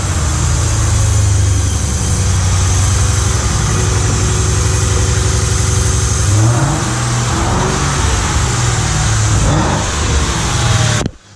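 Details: Lincoln Mark VIII V8 converted to manual transmission, just running after the swap with fresh clutch: strong rumble rising with revs over a rough rattly beat near the bellhousing; owner suspects the flexplate or spacer plate, unconfirmed.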